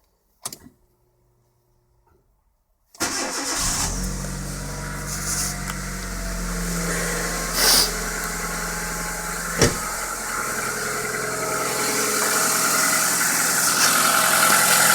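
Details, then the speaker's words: 2009 Kia Rio JB, 1.4 G4EE petrol, 40,000 km on Shell Helix Ultra 5W-40, knock since 30,000 km: cranks, starts and idles with a faint regular knock; dealer found nothing, owner disagrees, cause unknown. "Стук в двигателе появился, сейчас послушаем."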